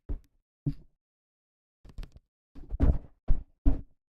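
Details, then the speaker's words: Akko ACR Pro 68 keyboard, spacebar filled with foam: seven presses, each a short dull deep thock with no rattle or hollow chatter; clean, solid spacebar. "that's how you make a really good sounding spacebar out of it. You just fill it up with some foam."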